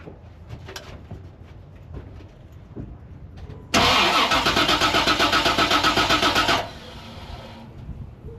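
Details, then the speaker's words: 1988 Chevy Suburban 7.4L 454 that won't stay running: starter cranks evenly about four per second without catching; gauge shows no fuel pressure, suspected bad fuel pump, gauge not yet verified. "so I just check the video I had to turn off the camera and check the video and seems like there's no fuel pressure but I want to test test this on another car just to make sure that the gauge actually works"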